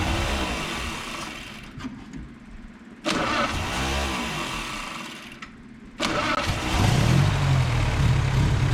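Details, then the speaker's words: 1931 Model A Ford four-cylinder just swapped in (old engine's piston 4 failed), after fitting the fuel pump and adjusting the carburetor: two short cranking bursts, catches on the third and settles into a steady low idle; clean, healthy start. "There you go. Susie is running. Joshy adjusted the carburetor. Let's suspend any music and just listen to that purring engine. Boy, it sounds good."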